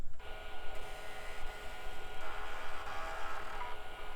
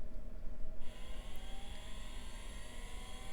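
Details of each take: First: Packard Bell Legend PC, 3.5-inch floppy drive removed and tested after seek errors under DOS 6.20: quick, even buzzy stepping chatter with no grinding. Normal seek; the error cleared after the drive was knocked around, and a surface scan found no bad sectors. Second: Packard Bell Legend hard drive, tested on a 486: spindle whine climbs steadily as the platters spin up and down with no seek clicks, heads not trying to move; stuck heads.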